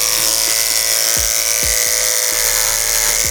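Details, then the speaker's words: Hair clipper cutting thick hair after the blade was sharpened on a block and oiled: high steady buzz dips briefly as it bites, then recovers fast; still bogs slightly on thick hair but far less than before. "So much better. It still bogs down because the hair's so thick, but a lot less."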